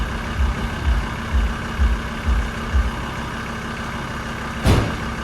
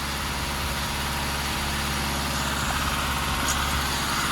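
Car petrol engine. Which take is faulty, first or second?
first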